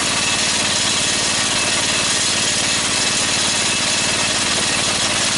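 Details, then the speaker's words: DC generator engine under about a 4,000 W load at 1100 RPM (1300 maximum), output reading 141: a steady, hard-working drone with a firm low beat of about three per second. The engine is labouring under heavy electrical load. "okay so with about a 4,000 watt strain on the whole system we're putting out at 141 out it's it's 1100 RPM and I'm pretty pleased with it"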